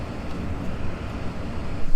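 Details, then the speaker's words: 2003 Ford C-Max cabin blower after reassembly with a thinner film than the original: a steady, even low whoosh of air with no rattle, tick or squeal, running normally. "bah ça ventile quoi j'entends pas de bruit particulier ça va on n'a rien cassé"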